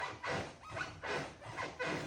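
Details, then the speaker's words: New hardwood flooring laid without first screwing down the old subfloor, stepped on: four dry scratchy creaks in two seconds, loose subfloor rubbing; squeaky floor. "So, we screwed up when we were installing our brand new hardwood flooring by not screwing off our old subfloor to make sure it doesn't squeak."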